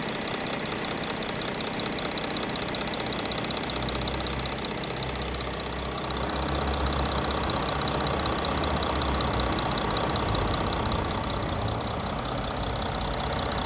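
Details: 2019 Audi A6 45 TDI diesel at about 17,000 km, idling; quick, even ticking about two to three per second over the idle, a mechanical engine noise with no clear cause yet.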